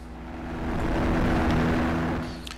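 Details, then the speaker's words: Rotax 503 two-stroke on a Challenger 2 ultralight, with throttle lowered slowly after a run-up: steady, even idle at about 2200 RPM with no death rattle; normal idle (the rattle follows quick throttle drops). "and as we go along with the engine is now I link smoothly at about 2200 RPM"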